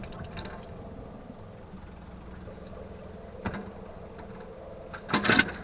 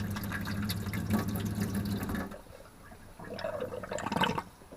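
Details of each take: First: Motorhome tap gurgling and spitting in uneven bursts as the pump draws air in, suspected hole in the tank-to-pump pipe or pump inlet filter. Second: Motorhome water system after resealing the pump filter's O-ring with gasket goo to stop air being sucked in: small pump hums steadily, tap flows smoothly with no spluttering; the filter was the cause.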